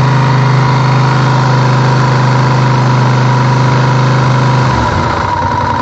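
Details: Honda VTR1000F V-twin with a lumpy idle and a tapping knock, roughly three a second, fading as revs drop; worn cam chain tensioners letting the chain slap, cured in 2014 by replacing the tensioners.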